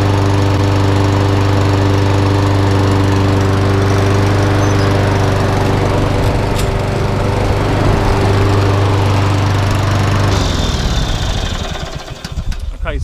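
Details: Einhell mower after cleaning underneath and refitting belt: steady even single-cylinder drone, no misses or surging; runs properly, drive works but only on one wheel.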